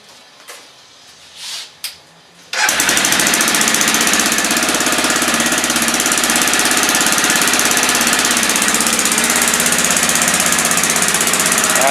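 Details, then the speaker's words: 2000 Aprilia Pegaso single-cylinder motorcycle with stock dual exhaust, cold start on choke: fast idle with sharp, rapid chuffing tick from a small exhaust leak, before an exhaust modification. "can hear the exhaust leak and the choke is on right here where that exhaust Le keeps happening let's get that fixed up"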